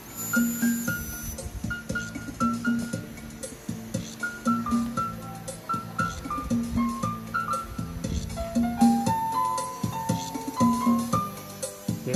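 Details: JVC TD-W10 cassette deck, after replacing the broken intermediate gear and reducing wow/flutter and distortion: music plays with steady, even pitch, no wavering or dragging; tape transport now runs smoothly and normally.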